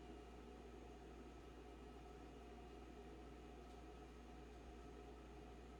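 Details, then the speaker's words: Steady low hum with faint tonal whine and even hiss from the back of the fridge, condenser area, on the recommended setting; fridge seems overexerted, owner suspects the breaker box, cause unclear. "But this is the noise in the back of the fridge, and I'll turn on the high frequency filter so you can pick apart that from your fan and other background noise a"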